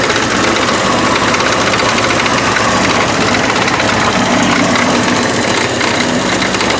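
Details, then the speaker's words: 1984 Porsche 944 running for the first time in about 4 years, vacuum lines just repaired, not cold, cooling system not taking water: loud, constant metallic clatter at steady idle, like quarters in a drier. Engine rattle at idle. "We still have the bad rattling going on, which is the next thing we're going to tackle."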